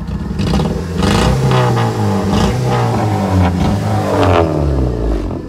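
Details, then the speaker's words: Off-road mudder Honda Civic with a seized brake drum, started right away: revs rise and sag unevenly with a lumpy, wavering, boat-like note and some clatter; engine running rough and not pulling cleanly. "Sounding a bit like a boat. She's not running too great. Sounds like she's dying, bro."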